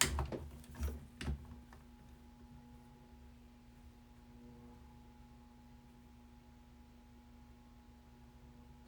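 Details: Small exhaust fan hums steadily with a faint thin whine from dry motor bearings; the fix planned is oiling the front bearing with 3-in-One oil, since running it long like this can damage the bearings.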